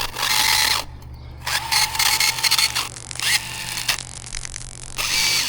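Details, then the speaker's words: Hosim budget brushless RC car run on 4S after bashing: high buzzy motor whir in bursts with no load change; motor spins but car won't move, drivetrain suspected smoked, likely differentials. "Sounds like a Model T. Oh my god. What do we do with this poor thing? [Applause] Yeah, it is not going anywhere."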